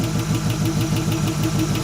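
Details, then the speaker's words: Small block Chevy V8 in a C10 parked 28 years, first run after revival, idle brought down after carburetor air-fuel screw adjustment: light even tick about six per second over lumpy idle, sticky lifter. "Hear that ticking. That's that lifter."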